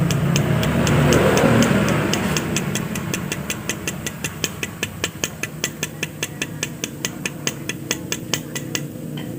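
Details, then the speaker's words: Yamaha Aerox with engine open, bared connecting rod struck: sharp metallic clacks about two and a half per second, loose rattle instead of a dull thud; worn big-end bearing play. "Hai cara pengecekannya seperti ini ya bisa teman-teman lihat Ayo kita pukul seperti ini ini cenderung Suaranya berisik"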